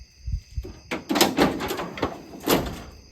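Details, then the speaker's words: 1970s Ford truck tailgate after latch repair with new bushings, filing and fine-tuning adjustment: a few crisp clunks as the latch releases and the gate shuts, no grinding or scraping; opens and closes freely, normal latch operation. "So, after some fine tuning with everything, it opens and closes a whole lot better. It opens like it's supposed to really good and closes great."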